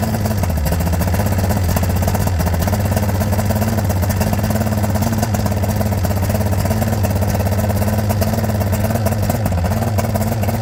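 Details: Johnson GT 200 outboard after new starter and power pack, water flowing: steady, even two-stroke buzz at a constant pace with no skips or surging; running healthy.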